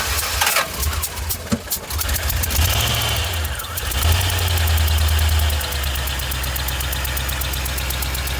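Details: Club Car golf cart engine with cross-threaded, stripped spark plug hole, plug installed: rough uneven start and idle, fast ticking puff over low thump, compression blowing past stripped threads; rebuild planned.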